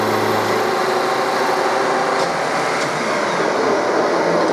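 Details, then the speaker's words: Old milling machine with Coromill 300 face mill cutting aluminium at 1600 rpm, 1600 mm/min feed, depth near the recommended maximum: the motor drops into a low, strained hum with coarse chatter and sounds close to stalling. "but uh the motor also sounds like it won't take too much before it stalls"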